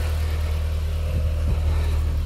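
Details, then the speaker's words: Audi TT after power steering line replacement and fluid bleed, engine running, steering turned lock to lock: steady low hum with no whine, groan or gurgle from the pump; no air noise, normal power steering operation. "again it looks fine to me you'll notice that stressed about there's no noise of air in the system"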